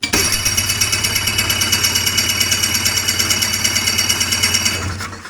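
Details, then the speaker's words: Hurricane hovercraft two-stroke engine ("Frankenhoover") with new coil, strong spark and about 150 compression, carbs being sorted: rhythmic cranking about three strokes a second that never catches and winds down; engine flooded, something finally coming from the exhaust. "Oh, it's all flooded up now, I get. At least there's something coming out of the exhaust over there now."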